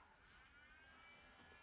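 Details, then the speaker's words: YG300 Mini LED projector, 12 V 2 A supply, just powered on: steady even airy whoosh with no rhythm or pitch change from the cooling fan, which works but is quite loud. "all right so the projector has a fan it looks you can see that it works the quality is it's not the best but cheap projector in Tik Tok job so the Fan's quite loud that's the thing"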